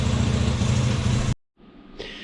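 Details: Yamaha Grizzly 80 ATV engine with Mikuni carburetor, during a rebuild: a smooth, steady low putter with an even beat and no stumbles or knocks, then it cuts off; normal idle.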